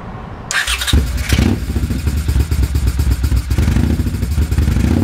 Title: poor idle, misfire left cyl.